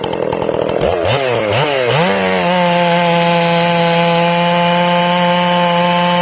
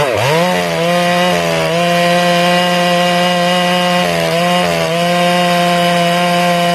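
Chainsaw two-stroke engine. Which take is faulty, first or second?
second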